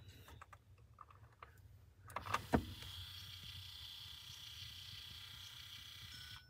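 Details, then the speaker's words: New heater mode door actuator on a 1998–2002 Honda Accord, connected and tested with the defrost button before installation: a couple of clicks, then a thin, steady electric whirr for about four seconds that stops cleanly, normal actuator motor operation. "it's very slight but you can see it move so the new uh new Mode door works I think we're good"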